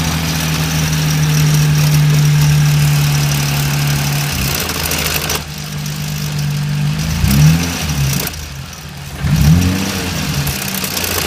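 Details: BMW E30 with S52 engine at idle: steady low drone with a rough, uneven undertone that swells with each throttle blip. A clearly unhealthy engine; cause suspected, not confirmed.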